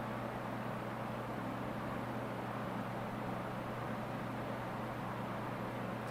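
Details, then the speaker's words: Late-1970s Lasco Super 16-inch oscillating fan before restoration, first run since December, on low speed: a little grumpy starting then soft even hum and airflow hiss, slight shimmy, no rattles or ticks; normal quiet low-speed running. "and there it goes yeah it's got It's got a little shimmy to it it's not bad but we'll have to see when it gets up to high"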